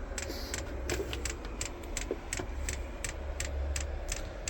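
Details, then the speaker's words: HCALORY 8kW diesel heater, first start-up on H10 hottest mode: crisp regular ticking about three a second over a low hum as the dosing pump primes fuel up the line to the glow plug; normal, only needed initially. "This is the initially getting the fuel to the engine, or to the glow plug. Once that's done, it should always have fuel in the fuel line, so it wouldn't have to go through this process."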